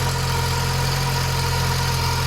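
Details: Mk2 Golf 1.6 petrol, automatic, Weber carburettor, after choke cable adjustment, with an oil leak at the back of the rocker cover gasket: steady, even idle with a smooth low hum, no misses, hunting or knocks; normal idle.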